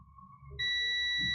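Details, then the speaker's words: Multimeter continuity test on a repaired dog treat dispenser remote control PCB: quiet hiss, then a clean, steady high beep for about 0.75 s. The added extension wire now connects the three vias, so the connection is good. "and obviously this point. So they're both connected now."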